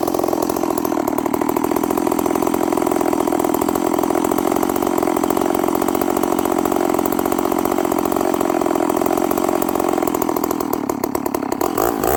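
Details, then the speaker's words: Stihl 038 Magnum chainsaw with carburetor issues, smoking: steady burbly uneven note with a wobble, not coming down properly, running very rich and fogging at idle. "This thing's not coming down. It's running really rich. It's coming down to idle and it's kind of fogging out."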